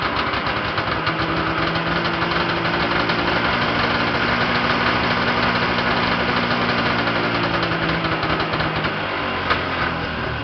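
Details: Yamaha Enticer 340 two-stroke, first start after rebuild (new Wiseco pistons and bearings, Hot Rods rods, custom forged balanced crank, Uni filter): even, busy idle with steady buzzy beat and gentle speed swells, no knock or misfire; runs healthy, very smoky.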